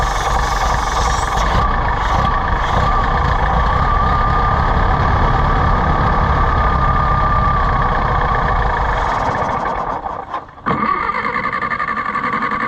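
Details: Allis-Chalmers WD tractor (WD45 engine, or the reverse), just started after no-start: uneven, loping run that sags and nearly stalls; carburetor not happy.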